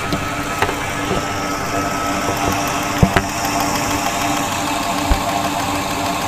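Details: 2000 Ford F-250 Super Duty 5.4 L at idle, injectors heard through a PEX-pipe stethoscope with microphone at the end: sharp, even ticking over the idle hum, all injectors sounding similar; normal injector operation.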